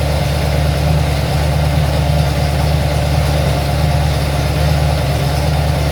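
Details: Ford XC Fairmont 351 V8 on a run stand with Thermoquad carburetor, choke left unset: steady, even low rumble at a fast idle, no knocks or misses, settling and running smoothly; owner judges it runs well.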